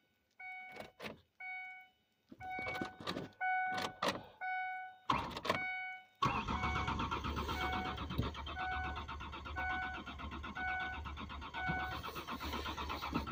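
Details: Mazda B4000 that has sat too long in snow, cold start: several short starter bursts then a long continuous crank that never catches; cranks but won't fire. Owner suspects the crusty body ground problem has returned and listens for the fuel pump.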